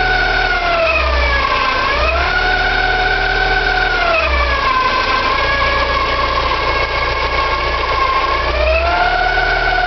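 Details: Porsche 944, 2.5 naturally aspirated 8-valve engine running: whining squeal and grinding rising and falling with revs, hard to locate but from the front; owner suspects oil pump or balance shaft, unconfirmed.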